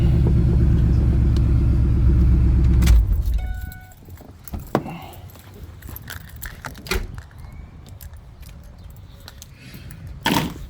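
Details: Ford Lightning after replacing the plastic fuel pump Y fitting with a metal one and fitting new hoses and clamps: engine runs steady and even for about three seconds with no misses or knocks, then shuts off; keys jingle afterward. Normal running.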